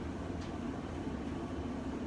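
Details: Whirlpool dryer bought in 1998, running after a lint and vent clean-out: even low rumble with a steady hum and no scraping or thumping; drum and blower running smoothly.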